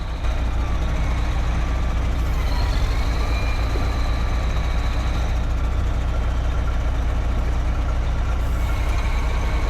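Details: Caterpillar 18M3 motor grader after a temporary field fix for lost steering (suspected mud around the front-axle steering cylinder): heavy diesel rumble with a faint repeating beep above it, the steering fault warning.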